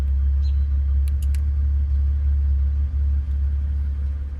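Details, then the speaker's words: Aftermarket electric exhaust cutout valve on a Mitsubishi 3000GT VR4, recorded from inside the car: with the valve fully closed the bass is gone and it sounds like barely anything. Even, smooth low rumble. "it loses that bass once it closes all the way. And then it sounds like barely anything."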